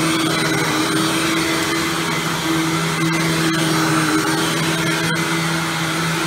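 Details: Hoover Windtunnel Supreme vacuum after its motor was replaced with a used matching Windtunnel-series motor: steady, even motor whine with constant pitch and a smooth airflow rush, no rattles or surging; running normally.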